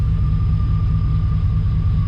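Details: 1991 Chevy Silverado small-block with 399,000 miles, during a tune-up, with the exhaust pipe refitted but still needing a clamp: a deep, even low rumble with a steady beat and no misses or ticks. Normal idle.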